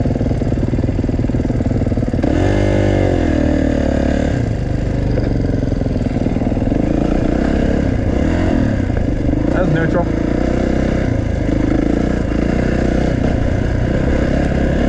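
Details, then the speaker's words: Kawasaki at idle: steady idle with a fast, light ticking on top, easy to mistake for an exhaust leak but it isn't one; noisy valves, valve tick. "One thing about this Kawasaki is it has loud valves. It almost sounds like an exhaust leak, but I know it isn't. The valves are just kind of noisy."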